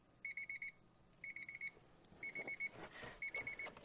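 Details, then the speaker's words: 1992 Honda Accord Wagon 5-speed, revived after 5 years sitting in a yard: bursts of five quick high chirps repeating about once a second, key reminder chime beeping when it shouldn't, which could drain the battery; cause not yet confirmed. "now here is my next problem I'm going to fix the car is only supposed to beep when the key is in it"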